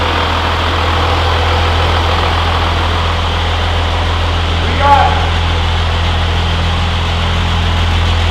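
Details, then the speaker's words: 12V Cummins diesel, first start after Stage 2 cylinder head install and valve set; deep steady idle with no misses or knocking, brief chirp midway, idling healthy. "It's gonna run great. Sounds good. It's running pretty good. The valve set job is all right."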